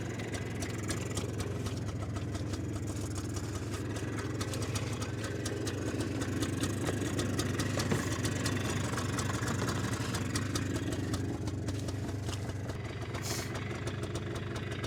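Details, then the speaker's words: 2001 Polaris Xplorer 250 4x4 quad just started with a shot of starting fluid, airbox being refitted: steady, even low burble at idle, no misses or knocks; normal idle. "thing's even idling how I don't know huh"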